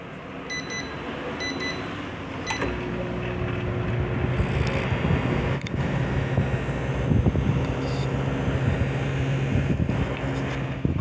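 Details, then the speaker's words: Microwave that powered on without blowing fuses, did not heat and had a loud transformer buzz; after replacing the high-voltage diode, keypad beeps, a relay click, then a steady normal moderate running hum. "can hear, the sound has gone down considerably, it has a common microwave sound... The problem has been fixed!"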